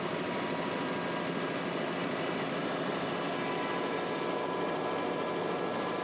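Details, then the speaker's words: First start of a freshly reinstalled engine and transmission in a drag car: a steady engine hum at constant speed with no lifter tick or knocking. The former lifter tick is gone and the engine runs healthy. "Listen to that. No loopster tick whatsoever. Go ahead. Try it again. Holy crap, it's silent."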